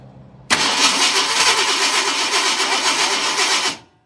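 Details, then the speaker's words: 1971 Ford F250 that died on the road, tank empty, fuel line off and leaking. Primed by pouring fuel down the carb, it catches and roars evenly for about three seconds, then cuts out dead. Fuel starvation stall. "Gotten him running by putting fuel down the carb. Then it runs out."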